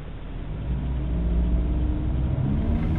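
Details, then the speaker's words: BMW E90 M3 on the road after swapping the paper air filter for a BMC cone filter: deep engine rumble climbing with revs, with a droning, buzzing vibration underneath. Source unknown; nearly new car. "Can you hear that vibration? What's that coming from? Look at that rev. Oh my god, that is so annoying."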